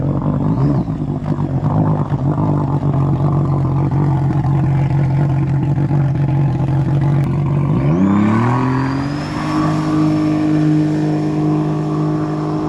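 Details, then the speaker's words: 2017 Sea-Doo RXT-X Rotax engine, run after chasing a wiring and fuse-box fault: steady idle, then a smooth rev climb and hold with no misses or knocks, sounding clean. "w wow that sounded pretty good it sounds nice and clean"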